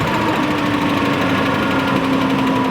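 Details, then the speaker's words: LS V8 truck engine at idle just after start, long run on 15 psi oil pressure, getting a fresh motor: fast light sewing-machine ticking from a sticking lifter that throttle blips unstick, not an exhaust leak. "When you whack the throttle, it unsticks the lifter. Yeah. So I'd say this is not bad at all for how bad the lifter can start beating. So this is what they sound like."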